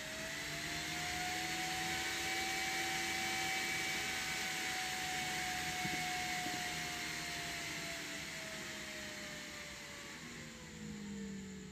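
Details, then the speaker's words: Newly finished 12 cm 12V DC fan on a TIP41 DC dimmer module with its transformer underneath: steady airy whoosh with a whine that rises then sags as speed changes; runs normally but a bit noisy. "ini kipas DC baru selesai ya guys lumayan agak sedikit berisik suaranya"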